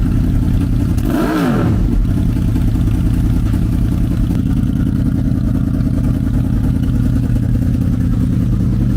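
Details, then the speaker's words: Wrecked 2006 Honda VFR800 after clutch inner basket repair, first start: brief clean rev blip then a steady low idle with loud open damaged exhaust; engine sounds good, a runner. "Well, we have a runner, and I hope that brought as much excitement to you guys as it did for me, because I've wanted one of these. It sounds good."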